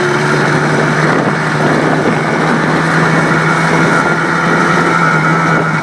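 A steady, even two-stroke drone holds one pitch throughout with no knocks or misses, so the engine is running healthy.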